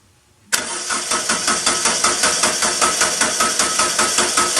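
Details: Kubota B3030 diesel tractor with fuel issue, bleeding at injector pump with fuel line loosened: fuel solenoid clicks, then starter churns steadily at about 2.5 compression beats a second and the engine never catches, cranking only.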